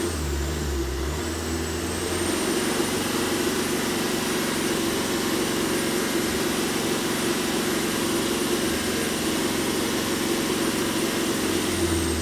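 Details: Tata Indica Vista that cranked but wouldn't start, after repairing wiring circuit junctions behind two main fault codes: engine holds a smooth, steady idle with no misses, stumbles or knocking; now starts and runs normally.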